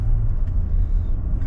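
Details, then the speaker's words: Range Rover L405 test drive after the wheel bearing replacement. Steady low road rumble only, with no hum or growl rising with speed. The earlier noise is gone, with no lumpiness and no pulling left or right: the bearing runs quiet. "driving all right doesn't feel lumpy or bumpy nor would have here the noise been know it's not pulling in the left or pulling to the right"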